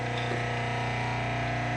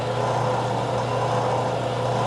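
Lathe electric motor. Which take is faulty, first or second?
first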